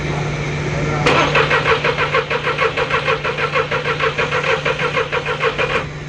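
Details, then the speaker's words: 2002 VW Polo 1.2 three-cylinder AZQ petrol: starter spins evenly about three turns a second for nearly five seconds, never catches; scope shows no coil trigger or current, no spark. "stop that kazoo meant nothing completely dead no current no trigger no nothing"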